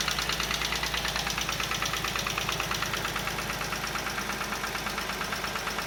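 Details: Chevrolet Onix Plus engine, first cold start in the morning when the brake is applied: steady sharp light ticking, about three knocks a second over cold idle; source of the knock not yet identified.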